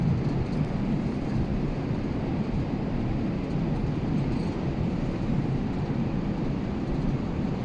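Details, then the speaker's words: Air conditioner indoor blower unit, blower motor rated 15.1 A, with airflow suspected to exceed design pending air balancing. Steady heavy rushing roar of air with no knocks or squeal: loud airflow noise, cause not confirmed. "पहले यह हवा का आवाज सुनिए inside का"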